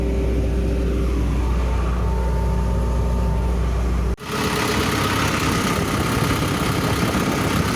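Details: Excavator diesel engine running steady and even with no knocks, briefly dipping then picking up smoothly at higher rpm; pump pressure normal, engine judged healthy.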